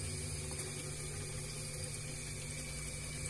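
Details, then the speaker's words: Panasonic fridge after evaporator welding repair and recharge with R600 refrigerant at 5 PSI: the compressor runs almost silently with a soft hum and trickle of refrigerant, no knock or rattle, and frost forms inside; normal quiet running. "Nah jadi lihat dan hampir kayak ndak berbunyi tuh gak terdengar halus banget akan tetapi di dalamnya sudah sangat dingin sekali"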